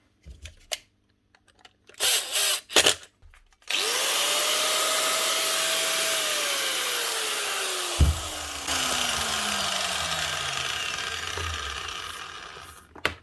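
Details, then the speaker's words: Angle grinder after fitting new brushes to replace worn ones: steady high whine, no sparking, no rumble or rattle, stopping much quicker as brushes press on the armature; motor running perfectly. "she's not sparking motor's running perfectly and she's stopping a lot quicker as well"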